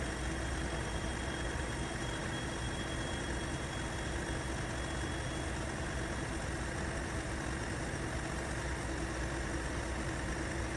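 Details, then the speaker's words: Timken test rig, bearing under load with lubricant applied: steady even low drone, smoother, less straining and no squealing, parts moving with less friction; smooth running under load. "Now, if you listen closely to the sound, you can hear that it's a lot smoother. And there's less sounds of straining, and there's no squealing."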